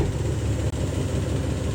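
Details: Diesel truck just after in-frame rebuild and a bad injector found on fuel rail pressure check: deep, steady rumble at idle with even firing and no knocks, misses or rattles; engine sounds healthy.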